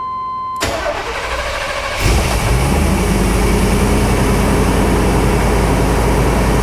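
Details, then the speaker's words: Classic V8 automatic that sat for years, started after a fuel system flush: short crank, catches fast and settles into a steady even idle with only a minor vibration at start and a slight tap, no belt squeal; normal start and idle. "wow sounds good yeah only a minor vibration at start very little starting to hear just a little bit of a tap belts and all aren't squeen yeah belts look good"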